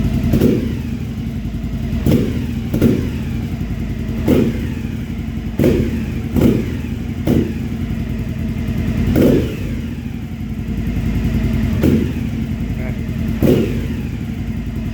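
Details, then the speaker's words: 2015 Triumph Speedmaster EFI after AIR system removal, idling about two minutes with no check engine light: revving brings a few sharp exhaust pops, far fewer than before; throttle response slightly better. "you can hear a little bit it pops a little but it still is not nearly as bad as it was"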